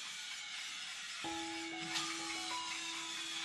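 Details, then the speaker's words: Bicycle Shimano hydraulic disc brakes just fitted, wheel spun: steady high ringing scrape as rotor rubs on a pad from misaligned caliper; fix by loosening the two caliper bolts and re-centering while holding the brake. "So Now, I'm going to just true up my calipers. As you can hear, I'm actually rubbing on the"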